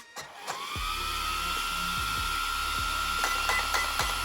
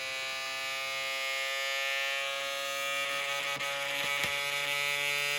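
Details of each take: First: Traxxas X-Maxx Rocket 35mm 21,000 rpm motor cooling fan upgrade with aluminium case: spins up to a high, steady whine holding pitch evenly, light handling clicks, strong airflow; normal fan operation. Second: Traxxas X-Maxx RC truck, 35mm motor cooling fans with snapped blades from bashing: harsh, high-pitched buzzing whine cutting in and out unevenly; to be replaced with Rocket 21,000 rpm aluminium fans.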